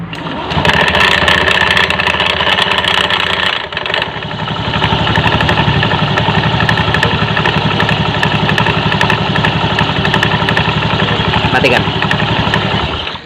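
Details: Honda Beat FI automatic scooter: rough, uneven knocking at about four per second at idle from start-up, from the V-belt/CVT side; the front pulley is worn.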